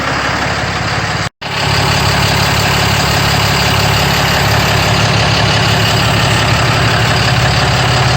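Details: RAM 5500 with 6.7L Cummins diesel idling after upper fuel filter replacement and priming; fired right up. Steady, even clatter with a smooth low rumble and no misses or knocks, a normal healthy idle.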